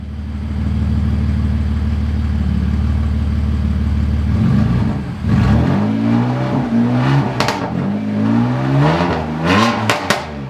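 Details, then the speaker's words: BMW F80 M3 after spark plug replacement: smooth even idle, then quick clean blips that rise and settle with no misfire or stumble. Normal idle and revs. "going to do a little startup here and some small revs just to make sure everything sounds good and the car is idling good."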